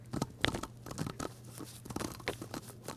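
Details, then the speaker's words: Worn wheel bearing, removed, pressed down hard by hand and rotated back and forth with the microphone close: irregular dry crunchy grinding bursts, very notchy, rough races. "you hear that crunchy crunchy grinding noise so that is going to show up if you just spin the wheel lightly but if you push and turn there should be no feel of any kind of roughness or notchiness here it's very notchy"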